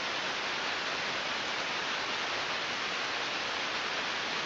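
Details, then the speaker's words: Ultrasound recording of a healthy bearing with an Ultraprobe 15000: smooth, even rushing hiss with a uniform sound pattern, no clicks, crackles or rhythmic bursts; normal bearing. "and when you look at it the sound pattern you can expect nice uniform"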